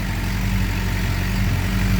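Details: 2007 Suzuki GSX-R 600 first start after water pump seal, freeze plug and electrical repairs for coolant in oil: steady, even idle with smooth low beat, no knocks, ticks or misses. Normal idle; smoke expected to stop as old oil burns off.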